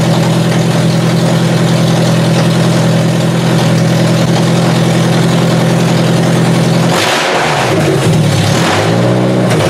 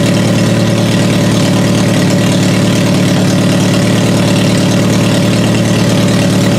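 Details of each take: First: Toyota Solara demolition derby car, start-up test with washer fluid poured on the coil packs: the engine stumbles and surges unevenly as it catches; a misfire likely from arcing ignition coil packs, due for replacement. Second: Toyota Solara after swapping the damp coil packs that caused hard starting and misfire: steady, even idle with a smooth low thrum and no misses or knocks; runs much better, normal idle.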